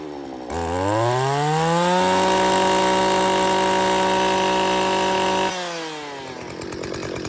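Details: Stihl FS 250 R brush cutter after primer bulb replacement: engine catches, revs to a steady high even howl, then drops back to idle; runs cleanly and normally.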